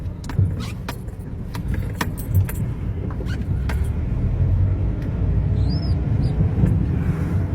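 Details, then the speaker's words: Renault Sandero leaking gearbox oil (torn gearbox boot already replaced, noise persisted), road test: deep uneven growl under road noise as the gearbox roars in second gear; gearbox growl. "Aí, ó, o barulho. Olha o barulho do câmbio roncando."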